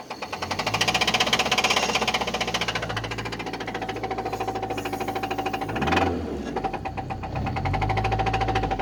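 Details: 1999 Nissan Altima petrol engine running with a loud, rapid metallic knock locked to engine speed: bad rod knock.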